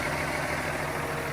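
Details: Volvo semi truck with a Cummins ISX engine after fan clutch replacement: steady diesel idle with an even low rumble, the fan barely spinning with no fan roar; clutch disengaged, normal idle.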